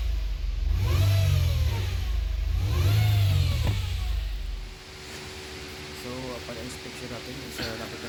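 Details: 2017 Nissan Altima whine when starting and accelerating, pitch rising and falling with revs; fixed by replacing CVT oil pan and strainer.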